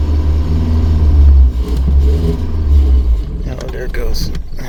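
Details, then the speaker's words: 1983 Dodge Aries K-car wagon, 5-speed, sitting 30 years, carbureted: engine catches, runs a couple of seconds, surges, then sags and dies as the carb runs dry. Fuel starvation, no gas getting through; pinhole leaks in the lines suspected. "we're not getting any gas. All right, that's a bummer."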